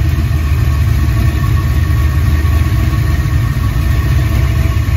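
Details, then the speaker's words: Ford 5.0 302 V8 idling after reinstalling a roller rocker that had come off from improper installation and an under-tightened Allen lock. It has a smooth, steady rumble with no knock or lifter noise. "It's back to its normal old self. It's quiet, no lifter noise."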